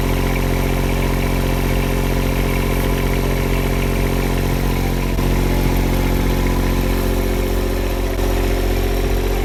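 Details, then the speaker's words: Powertech CD 7000/8000 RV diesel generator that started but would not stay running, after rust was fixed and parts were replaced: a steady, even chug at constant speed with no hunting, surging or stalling, so it now runs normally. "The bag was having a problem with that, so there it is. You hear it running there, it works."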